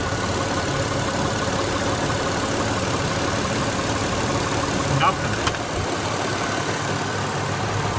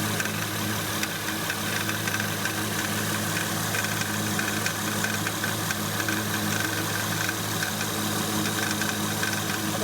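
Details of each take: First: 2008 Acura MDX after power steering pump replacement and bleeding at 2000 rpm with lock-to-lock turns: smooth, even idle with no metallic clinking or pump whine, and steering much stronger. Normal idle. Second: 2008 Acura MDX at idle: steady hum with light metallic rattle and quick ticking from the power steering pump, like a small hammer tapping; worn pump, to be replaced.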